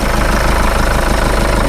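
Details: Jeep Liberty 2.8L CRD diesel after viscous heater delete: loud steady idle with a rough knocking rumble from the belt-driven accessories; tensioner checked and feels fine, owner suspects the alternator, cause unconfirmed.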